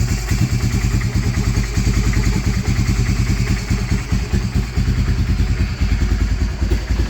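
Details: Honda Fortrax 300 ATV, previously a no-start, after adjusting the idle: even, low thumping idle at a steady beat with no hunting or stalling; idling smoothly and healthy.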